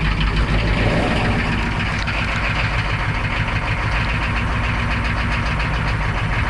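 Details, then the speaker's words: UPS step van diesel after fuel injection pump module (PMD) replacement and relocation, glow plugs warmed: loud, steady diesel clatter at an even idle rhythm, no misses or surging; idling healthy. "it sounds a lot better as well so warm up those glow plugs and show you how it sounds"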